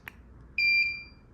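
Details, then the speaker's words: Visico VC-600 600 W studio strobe fired via test button: sharp pop of the flash, then one clean high beep about half a second later, normal ready beep after recycling. "So, you hear it beeping once."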